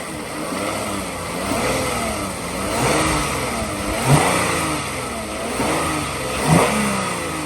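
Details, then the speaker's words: 2007 Toyota Avalon XLS with 167,000 miles, heard in the engine bay: smooth, even revs up and back to idle with no knocks, rattles or squeals; a healthy engine revving freely. "I'm gonna rev it up here a little bit."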